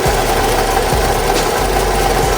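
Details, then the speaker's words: 2014 Toyota 2.4L engine idling with a constant, busy metallic rattle from the timing chain end, caused by a faulty intake cam phaser. "So, but yeah, if you guys are having this sound, you guys, trust me, that is that cam phaser acting up like that."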